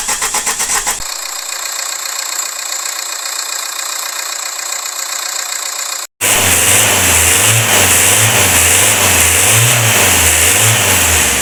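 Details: Opel Astra G 1.7 diesel (X17DTL) after repair of knock, misfire, injection pump and injectors: cranks, catches and settles into an even idle with no knock, under heavy hiss.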